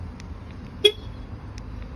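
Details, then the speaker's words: 2017 Jaguar XE after reprogramming two keys following a flat-battery KVM lock, battery still slightly low; single short horn chirp outdoors as car locks with each key; normal lock confirmation. "Ahí está nuestro carro cerrando y con la otra llave. Ahí está nuestro carro cerrando."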